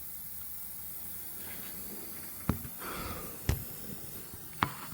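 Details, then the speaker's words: Toyota Solara with a rock-hard brake pedal, very little travel and weak stopping: faint steady air hiss with soft clicks after engine shutdown, vacuum bleeding off near the booster; owner suspects the master cylinder, check valve to be tested with vacuum pump. "Now let me shut the car down and let you hear the air hissing."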